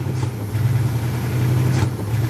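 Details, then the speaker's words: Old carbureted truck cold start after a -2 degree night, choke still on, weak battery charged and gas poured in; low, steady rumble that never picks up speed, bogging and won't rev. "It's cold. Dang, it don't even want to rev."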